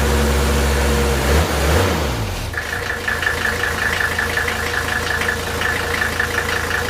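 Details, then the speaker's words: 1983 Mercedes 300TD W123 with OM617 diesel after a valve adjustment, still smoking: a winding-down whir settles into a steady idle with a sharp, regular clack about 160 a minute; suspected injector clatter. "you hear that clacking I believe that's an injector in n"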